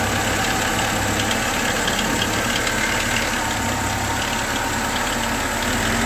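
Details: VAZ Zhiguli (Lada) engine at steady idle with a fast, uneven tapping of about three or four knocks a second; internal engine knock, owner suspects timing chain, not confirmed.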